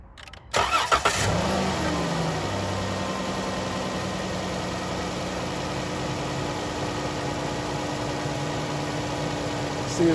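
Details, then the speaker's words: Car with no-crank no-start in -10 cold after a new battery was fitted, fixed by tightening loose battery terminals: short crank catches quickly and settles into a steady, even idle with no misses. "running it is running so guys I drove 20 miles to come tighten up some battery terminals"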